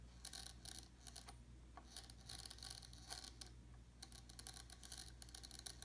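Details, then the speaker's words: RC helicopter tail servo after a crash, turned slowly by hand, gives bursts of fine gritty clicking and rasping, none when turned fast; servo works, owner unsure whether gears need replacing. "this tail servo is working properly but when I turn it slowly it is making a grinding noise it will not make a grinding noise when I when I turn it fast but when I turn it slowly you can hear it"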